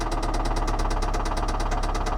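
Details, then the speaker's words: Flood-damaged Mercedes at a salvage auction, idling; hard even knock about seven beats a second, deep bottom-end; owner suspects rod knock, oil appears overfilled, possibly blown head gasket. "all right this time I'm not going to bother even sitting in it until I see that what is that oh rods"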